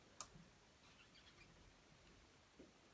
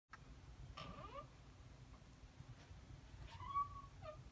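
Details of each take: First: Door swinging near silently with a couple of light clicks and no squeak, after the hinge pins were knocked out, greased and reinstalled. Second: so if your door squeaks like that there is a solution I'm going to show you how to grease the pins today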